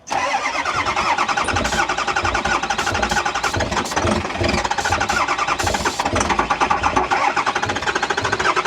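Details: A 98,000-mile 2010 Ford F350 with the 6.4 Powerstroke diesel cranks rapidly for several seconds and never catches.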